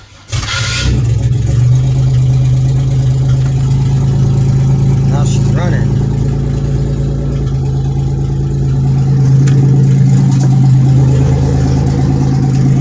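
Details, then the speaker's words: 1997 Pontiac Grand Prix GTP started by hotwiring the ignition, run briefly without its main belt. It catches right away and settles into a steady, even, smooth idle with no knocks or misses. "but man she's running smooth"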